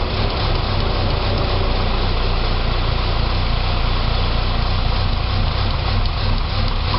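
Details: 2006 Saab 9-3 2.0T after engine rebuild: low idle throb pulsing unevenly, about three or four lumps a second with slight stumble; rough idle, possibly vacuum related, runs great with throttle.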